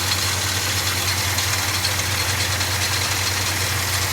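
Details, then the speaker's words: 1969 Ford F100 Ranger, first start in years, bad coil suspected, engine not yet warm: steady, even idle with smooth low exhaust rumble, no knocks or misses; exhaust sounds all right. "Let's see what the exhaust sounds like. It sounds all right. It sounds all right."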